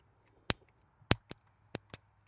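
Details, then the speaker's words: 1956 Chevrolet 235 straight-six parked since 1989, ignition test while reviving: five sharp snapping cracks as spark from the points jumps a wide test gap; ignition firing. "The points are popping off. They've been hot. Oh, I don't know if you heard it. That's jumping that giant gap."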